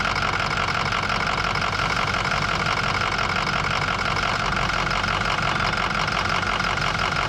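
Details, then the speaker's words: 2005 Ford F-250 with a 6.0L Power Stroke diesel, confirming the hard-start complaint: a steady idle clatter whose beat wavers slightly from stroke to stroke, giving a mildly uneven, rough idle. "Bueno, como podrán ver, la dificultad de arranque es definitivamente una realidad y la marcha en vacío es ligeramente desigual."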